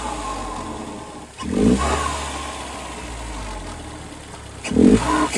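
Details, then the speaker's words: 2010 Hyundai Genesis Coupe R-Spec turbo 2.0L Theta II, new GReddy-style FV blow-off valve: two sharp revs each end in a quick, louder, higher-pitched airy release versus the old valve's "choo", with slight flutter at low rpm; normal operation. "It's got a higher pitched blow off to it than the other one did. The other one was just like choo. This one's going psh, which I kind of like better."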